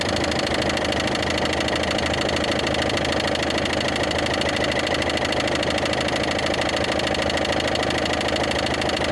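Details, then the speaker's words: Ford Focus 2 1.6 diesel, newly developed knock: steady idle with sharp regular tapping about two and a half per second, heard from below and seemingly moving upward; cause unknown. Engine knock. "Сток Ну уже по-моему этот звучок уже наверх перешёл ух да ну здесь отчётливо стока этот отчётливо цокает конкретно"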